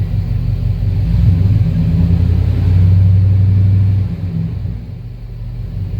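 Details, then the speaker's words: Service truck with a freshly rebuilt engine, warming up with oil pressure at 40 and the check engine light off; spark timing is still said to be off. A deep, smooth rumble that swells with throttle, with no tapping or misfire: runs healthy. "Sounds good. Can't really ask for one to run any better."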